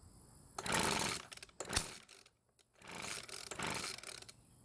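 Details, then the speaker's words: Weed Eater leaf blower with a brand-new carburetor, pull-started two or three times: whirring recoil rope and a brief pop or light backfire through the carb, but it never catches. New carb didn't help, so the fault is in the engine. "so what did we just learn from that test start well it would seem that it doesn't matter if the carb is brand new or not because it still didn't start that means there must be something wrong with the engine instead"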